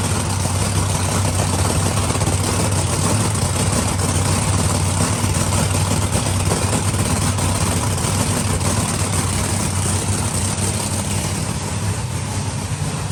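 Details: Monster truck supercharged V8 idling before timing light check (target 32°, owner suspected slipped timing from hard starting; found 31–32°, spot on; starter possibly weak); deep heavy steady idle, no stumbling or misfire.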